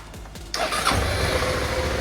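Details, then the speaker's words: Suzuki V-Strom 650 in for fork seals, headstock bearings and brake pads: after the fuel pump is heard kicking in, a few quick cranking pulses, then the engine catches and settles into a steady idle; it starts normally now that fuel is delivered. "and there we go it runs"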